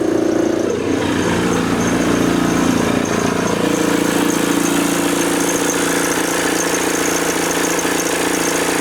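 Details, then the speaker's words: VW T25 van with TDI engine swap, after injectors overhauled with new larger nozzles: steady diesel clatter at a settled idle, no misses or hunting; running smoothly. "Sounding pretty good actually."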